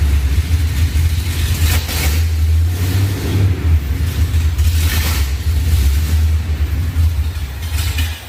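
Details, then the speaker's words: Ford SVT Lightning V8 with 3.4L Whipple, forged block, stock crank, ARP studs, new oil pump, and new bigger heads and cam after the rebuild. It needs gas to hold idle, then the lumpy idle surges and sags every second or two, attributed to the bigger cam and heads. "i mean you have to give it a little gas just to keep it on idle and then it idles pretty good and then kind of goes up and down but it's understandable has a bigger cam bigger heads"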